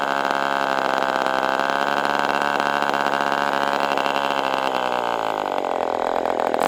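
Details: Ross Black Demon 61 glow engine on first run with Perry carburetor, after linkage adjustments: high buzzing idle holds briefly, then sags and wavers; the binding carb barrel keeps idle around 4,000-plus rpm before it drops and dies.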